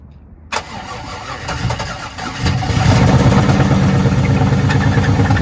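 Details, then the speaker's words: Auction Camaro SS with 6.0-litre V8, no key, jump-started: loud crack then rough, lumpy cranking that catches into an uneven idle; owner suspects low compression or engine trouble, likely swapping in a 5.3. "but you did a little compression or something's going on with the motor so we'll check it out"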